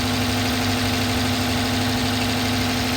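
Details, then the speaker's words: 2011 Dodge Charger PPV 5.7-liter V8, warm after about 30 minutes running: steady light ticking tapping up top since startup, unimproved, with a steady misfire and uneven beat; side of engine unknown; tapping and misfire at idle. "motor has a steady tapping sound. It's been running for about 30 minutes. It has not improved. It's been tapping just how you hear it right now from the minute I started it, and it has not improved. It also has a steady misfire."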